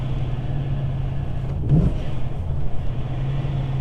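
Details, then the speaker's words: Supercharged 2003 BMW E39 M5 (Hamann) on a test drive after new spark plugs, engine not fully warmed up. Deep, steady exhaust note pulling evenly at low rpm with no stumble or flutter, so the sputter under load before the plug change is gone. "making sure there's no misfires or misbehaving cars running flawlessly those low rpms there's no more missing or fluttering"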